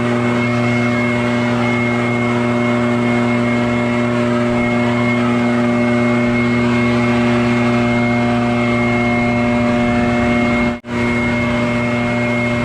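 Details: Barn-find Echo PB650 backpack blower on fresh gas after years stored, clearing a shingle roof: steady high two-stroke howl and constant whine at full throttle, one brief cut near the end; normal running under load.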